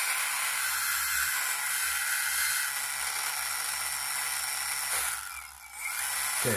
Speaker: can actually hear the mother change it's now running freely it's not binding anyway